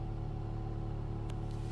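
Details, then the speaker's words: Ford Fiesta ST petrol engine idling: steady metallic buzz-rattle over low rumble from heat shield vibrating on exhaust manifold; disappears with a little rev. "there's that noise that's the heat shield rattling on the manifold give it a little rather disappears just vibrating at the right time and it's gone"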